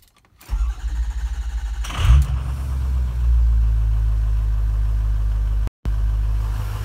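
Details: Engine with a hard-starting problem, filmed partly to show exhaust smoke. Brief cranking, then it catches quickly and settles into a steady low idle. Much easier start this time, cause unknown.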